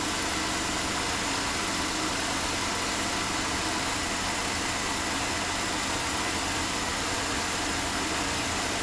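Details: 2005 Chevy Uplander 3.5L V6 after water pump replacement for rattle and coolant leak: steady, even hum with no ticking, knocking or squeal; normal idle, later confirmed no overheating or leaks.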